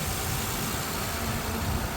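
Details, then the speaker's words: 2008 Honda Odyssey after a timing belt tensioner replacement, jump-started because of a parasitic battery drain: smooth, even low idle with no ticks, knocks or whine; normal idle. "woo there we go my friend that sounds like a perfect engine to me"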